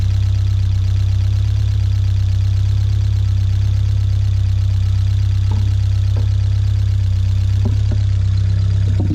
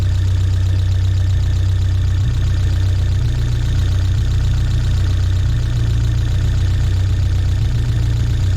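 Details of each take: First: 1979 Fiat 124 Spider four-cylinder, about 3,000 miles, fully warmed up with the fan on, after resetting the drifted ignition timing to about 18–20 degrees; steady, even idle with no misses or hunting. Normal. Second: 1979 Fiat 124 Spider, about 3,000 miles: the mechanical ignition timing has drifted retarded to about 2.5 degrees with the vacuum off (12.5 with it on), leaving a steady but low idle with no misses. Retarded timing.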